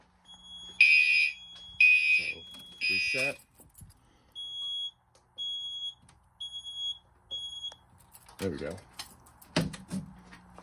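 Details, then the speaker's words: Fire alarm re-alarmed from the pull station after moving the Wheelock MT horn from 12 V to 24 V, which fixed the skipped code-3 pulses. Three loud, high horn blasts, then softer evenly spaced pulses, a proper temporal-3 signal. "So in re-alarm with the pulse station, just check out these two alarms and then we're gonna end off the test."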